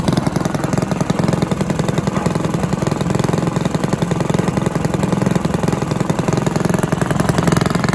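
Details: Villiers 10 petrol engine on old Barford cement mixer, first start: even steady putter, regular firing, no misses, knocks or surging; starts easily, runs well, though compression not excellent and fuel seems to run through even with tap off.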